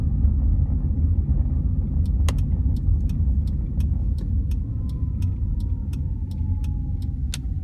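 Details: 2004 Honda Civic Hybrid pulling away from a stop: heavy rough low rumble with occasional sharp clicks; owner says CVT transmission belt slips, a common problem with this model, fixable by dealer procedure for start clutch judder.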